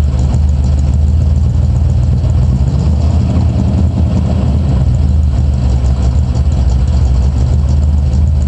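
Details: 1986 Camaro IROC V8 at idle: low rough rumble with a faint deep knock underneath; owner suspects rod knock, not confirmed.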